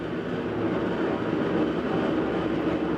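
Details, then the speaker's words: GE washing machine about two years old, empty, starting spin: loud constant rumbling roar like a freight train; bad bearing, owner unsure whether tub, transmission or motor bearing. "you can hear the bearing sounds pretty rough so i don't know if it's the tub bearing the transmission bearing or a motor bearing that's gone bad but it it sounds horrible"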